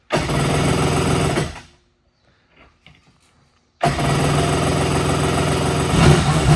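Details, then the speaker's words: Kawasaki ZXI jetski engine swapped into STX 1100 hull, first start with choke on: engine catches into a fast, steady buzzing idle, stops briefly, restarts and runs evenly without stumbling; healthy running. "Woo! That's what I'm talking about. There we go. Sounds good."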